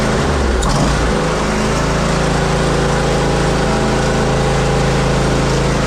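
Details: Zero-turn mower, previously a non-runner, single-cylinder engine at constant throttle: steady drone with a loose, uneven rattle; owner suspects the heat deflector shield on the back.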